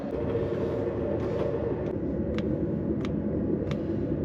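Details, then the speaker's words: Autoterm Air 2D 2 kW diesel air heater, fuel pump mounted at manual-specified angle: sharp light ticks about every half second over steady low rumble; pump clicking at correct rate, no issue found. "So, it's positioned in that angle as described in the instruction manual. It is clicking and running in the right speed. So, I don't think there are any issues there either."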